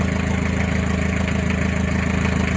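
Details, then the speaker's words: Mazda Bongo van at idle after the weak battery was charged: steady, even low idle with smooth firing, no knocks, ticks or squeals; charging normal at 13.5 V, and the relay is no longer noisy. "Normal yung current charging. 13.5 mga idol."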